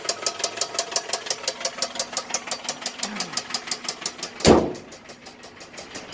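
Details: 2000 Toyota Camry that won't pass 20 mph with a burning smell (owner suspects oil or belt): quiet at rest, then a sharp regular knock about six times a second on acceleration, a loud burst, then quieter; source unclear. Engine knocking under acceleration.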